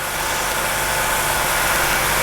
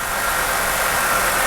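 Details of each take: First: 1985 Jeep CJ7, 4.2L 258, new throttle body fuel injection kit, started after removing the ALDL jumper: steady, fast, hissy idle with no hunting at about 1200 rpm. It runs high until the throttle stop is set down to 725–750 rpm. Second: 1985 Jeep CJ7 4.2L 258 inline-six newly converted to throttle body fuel injection, after the start-up flare: steady, even idle settling toward 650 rpm with a smooth whirring hum and no misses or knocks; normal idle.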